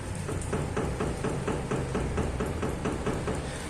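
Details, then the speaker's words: Chevrolet Celta: a quick run of light knocks, about two a second, as the front wheel is rocked by hand with the car on the ground, from play in the inner tie rod (axial rod); symptoms are suspension noise over bumps and steering wheel vibration. "vibra tudo galera tá um barulho danado essa suspensão aqui ó"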